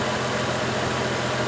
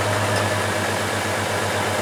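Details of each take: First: 2004 Chevrolet Trailblazer inline-six after fixing a misfire that made the engine rock: even, steady idle with a smooth low hum and no stumble or skip. The fault was an ignition coil, replaced with a new one, though not the coil first suspected. Normal idle. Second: 2004 Trailblazer engine at idle, rocking with a miss; ignition coil swapped between cylinders to trace it, still missing but less than before, with a regular stumble three or four times a second: ignition coil misfire.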